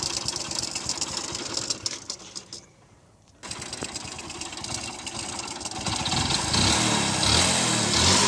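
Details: Motorcycle restarted after stalling, then revved; a hard, rhythmic knock of about four per second rises with revs, which the mechanic identifies as connecting-rod noise in a totally worn-out engine.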